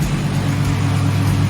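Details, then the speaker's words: BMW E46 turbo after a knocking or exhaust-leak-like noise, with exhaust retightened, valve cover removed and PCV cam covers swapped: a smooth, steady low drone with no knock or tick. The noise is gone and AFR looks right. "the noise is gone. We're running, baby, we're running."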